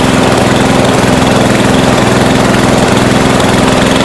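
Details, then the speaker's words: 1992 Yard King lawn tractor, small single-cylinder engine at wide-open throttle, just started after sitting about seven years: lumpy, uneven beat of about three pulses a second. Rough running; owner suspects carburetor out of tune or valves needing adjustment. "yeah I don't know if it's urgent because it's colder of the vowels need adjusting or the car needs adjusting or what I mean it's been sitting for seven years so I'm sure the carburetors been you know out of tune"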